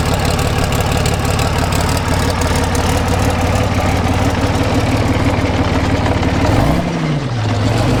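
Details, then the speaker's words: British Army Abbot artillery vehicle, Rolls-Royce engine after engine pack pulled, starter fixed and leaks repaired, fuel pumped up: heavy engine catches, steady even low idle rumble, no knocks or misses; normal start and idle. "pump the fuel up a little bit you can hear it they're pumping there's our little displays so looking good and we'll give her a fire sounding good"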